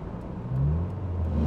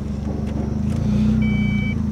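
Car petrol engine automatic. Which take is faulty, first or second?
first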